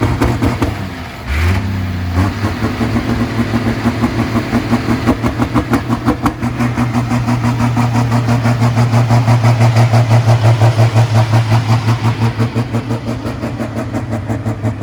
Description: Super stock diesel tractor with the injection pump stuck open cannot start without tons of ether.